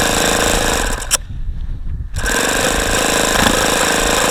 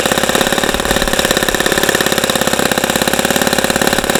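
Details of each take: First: ASP FS65 glow engine, 29°F cold day, 5% nitro, OS F plug, primed with lighter fluid, glow plug glowing; rapid even starter cranking about four turns a second, strange exhaust sounds, never catches; cold no-start. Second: ASP FS65 glow engine on test stand, 29°F cold day, 5% nitro fuel, APC 12x6 prop, OS F plug, started with much lighter fluid: quick even buzzing idle with no misses or surging; running healthy.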